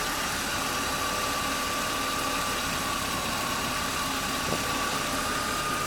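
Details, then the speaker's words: Warm 1997 BMW 328i E36, long-sitting, idling quietly: faint steady whir, no top-end ticking; brief lifter chatter at first start went away; temperature normal, coolant air still to be bled. Normal idle. "it's pretty quiet that a little lifter chattery had it first went away i guess chess has been sitting the oil pressure had to deal back"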